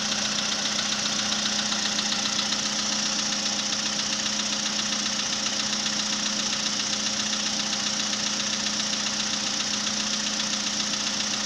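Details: March 2014 VW Polo Sedan at 67,000 km, cold start idle: fast, even ticking knock about two or three per second, began near 65,000 km; cause unknown.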